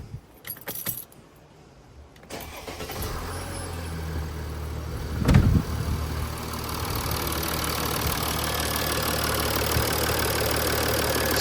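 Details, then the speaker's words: 2012 Mercedes S350d V6 diesel started after new air filters were fitted, before the engine cover goes back on: cranks, catches and settles into a steady, even idle with no knocks or misses. It sounds good. "that sounds good to me."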